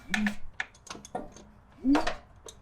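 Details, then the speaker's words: 1976 Toyota Celica RA23 engine, sat for years, crank turned by hand with spark plug removed: croaky frog-like air puffs from the plug hole with light clicks; compression present, engine turns freely, normal. "Alright, that was it. That was kind of that frog sound. That's basically air rushing out through the spark plug hole."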